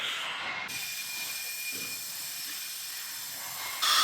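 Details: Porsche 964 Turbo (RWB) with built engine, leak-down test with engine off. Steady loud hiss of compressed air rushing straight past a leaking exhaust valve that seems not to sit the same way as the others.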